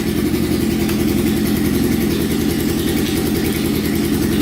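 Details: Kawasaki 650cc shifter kart with new air filters fitted, charging system being tested: quick, even firing pulses at a steady idle with no misses, knocks or hunting; idling cleanly.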